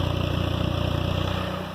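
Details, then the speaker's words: K24-swapped Honda Insight with new exhaust, idling at 900 rpm on a cold night, fuel pump and cooling fan jumpered, warming up: quiet, smooth, even idle with no misses; fuel injector tick noted. "Pretty quiet, pretty smooth."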